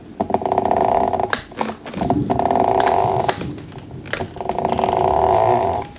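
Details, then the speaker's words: Meepo electric skateboard, rear left hub motor: three bursts of coarse gritty growling, grinding noise rising and falling with the motor; hub grinding internally. "The rear left hub right here, I can touch it with my foot. It is really making a lot of growling, grinding noise when I go"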